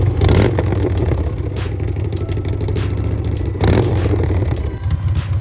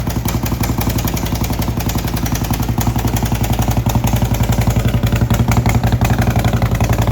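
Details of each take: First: 2011 Harley-Davidson Road Glide Ultra after rebuild fixing a horrible engine noise, broken parts replaced with new S&S Cycles parts: steady loping V-twin idle, even firing, no top-end tapping; healthy. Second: 2011 Harley-Davidson Road Glide Ultra: loud, rapid harsh mechanical clatter at about four beats a second over idle; horrible engine noise, motor taken apart to find broken parts, replaced with S&S parts.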